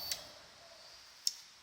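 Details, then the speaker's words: 2008 Triumph Speed Triple, no start for a couple of days, headlights not coming on with ignition; ignition on, kill switch thrown, clutch held, starter pressed: sharp relay clicks, no starter whirr or cranking. Cause unknown. "so you can hear the relay fine but it won't start, so this is where it gets weird."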